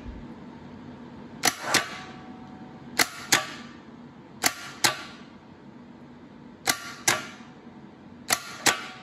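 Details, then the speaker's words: Air-cooled VW starter from parts stash bench-tested on a 12 V battery: solenoid clacks followed by short weak whirr that doesn't wind up like the known-good starter, though improving; weak starter. "you can see this one's not winding up like the other one did although it seems to be getting better"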